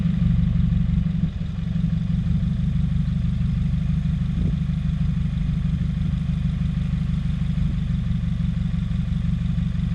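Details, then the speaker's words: 2017 Subaru WRX after aftermarket charge pipe and top-mount intercooler install, still rough with OEM parts back on, stalling and white exhaust smoke: loud uneven lumpy idle with stumble; owner suspects boost or vacuum leak. "Something's not right. I'm not liking this."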